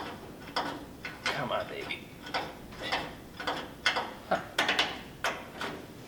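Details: Massey Ferguson 65 tractor with no spark, cranked only to keep the engine from seizing; bad safety neutral switch: about a dozen sharp uneven clicks and clunks with no cranking; starter clicks but won't turn engine over. Cause suspected, not confirmed.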